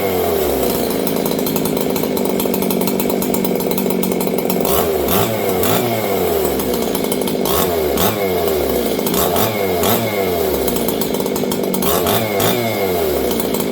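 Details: Old Jonsered 630 chainsaw with a new Husqvarna full wrap bar, first run since last used in winter. Revs up and down with a blubbery, uneven note instead of a clean scream; carburetor running rich.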